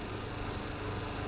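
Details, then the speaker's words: Twin-tub washing machine spin-dryer motor tested: spins with a steady even hum and faint high whine, no knocks or rattles, no electric leakage; fully working, smooth running. "sudah berputar Berarti boleh kita pastikan bahwa si dinamo ini 100% berfungsi Pak dan suaranya masih halus nih pak tidak Berisik"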